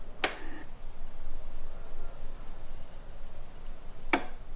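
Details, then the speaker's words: Zero electric motorcycle at switch-on: two sharp, loud clicks about four seconds apart over near silence; clicking whose cause is not confirmed. "and if you start up the bike you can hear a big clicking noise"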